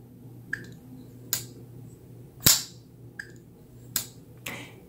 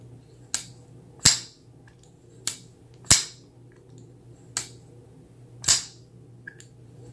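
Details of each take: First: Kizer Cozy folding knife, about 3.3-inch blade, jumping-off flipper tab; sharp single snaps with crisp lock-up click, no rattle, blade centered with no play; normal near-guillotine flipper action. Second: Kizer Cozy folding knife (154CM steel, Micarta) lock worked, sharp uneven clicks with a faint brief squeak; knife had substantial lock stick that is breaking in, now squeaks.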